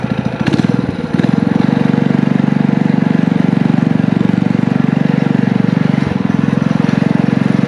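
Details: Small single-cylinder power-washer engine with muffler on a DIY motorized trike, torque converter clutch, ridden under load: steady even firing with brief dip and recovery, no knocks or slipping; running well.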